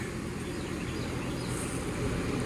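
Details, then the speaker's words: Lennox furnace after ECM blower motor replacement, dual-fuel setup: steady, even low rumble of air with no rattles, scraping or surging; blower runs smoothly and healthy. "it's running sounds pretty smooth so let's take our little handful of toys we had here and go outside and see if the condenser is on yet"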